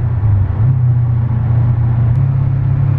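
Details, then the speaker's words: Mercedes CL500 C216 V8 on the motorway around 120 km/h: heavy, uneven low rumble that surges and lurches, refusing throttle, with strong vibration in the front; stumbling and juddering, cause unknown, owner hopes not mechanical. "Sehr viel Vibration, sehr, sehr viel Vibration im Vorderwagen."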